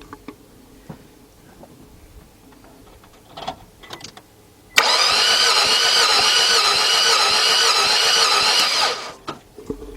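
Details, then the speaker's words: 2003 Nissan Altima 2.5 cranks-no-start, compression test on a second cylinder: about four seconds of fast, even starter whir with no compression pulses or firing, engine spinning too freely. "That did nothing. That's not good because that is actually a good cylinder. So it should have done something."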